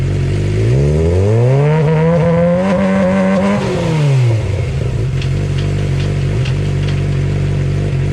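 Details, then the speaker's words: Suzuki GSX-R 600 with Power Commander 3 USB custom map, K&N filter, newly fitted Dynojet quick shifter, test start: catches, revs smoothly, drops back to even steady idle, no knocks or rattles; healthy. "I need two hands for the Gsxr, so I'm gonna start it up and I'm gonna let you guys hear it."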